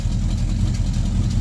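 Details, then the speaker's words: 1966 Plymouth Fury III 5.9L V8 idling with a loud, raw, puffing rumble from exhaust leaks in an unfinished exhaust; the Carter P4594 electric fuel pump is barely audible with the engine running. "yeah I've got exhaust leaks everywhere because the exhaust isn't obviously not finished yet"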